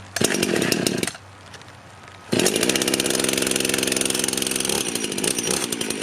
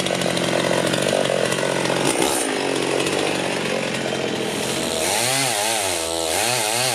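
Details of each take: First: Rebuilt Husqvarna 51 chainsaw: idles, then blips to a burbly, slightly blubbery high speed that never cleans up; owner thinks it runs a bit rich, not confirmed. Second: Rebuilt Husqvarna 51 chainsaw after carb tuning (it had seemed a bit rich), cutting a tree: a high two-stroke wail that drops and recovers as the chain bites, clean and crisp. Runs well; owner unsure the bar oiler is delivering enough oil.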